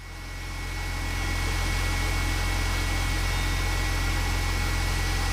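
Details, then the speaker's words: BMW E46 330ci after replacing failed leaking water pump with new Gates pump and refilling coolant, running to cycle coolant: smooth even low idle hum, no knocks, squeals or rattles; no leaks, healthy. "Well, so far so good. Nothing's leaking. I didn't miss anything. It's not making any nasty noises, so."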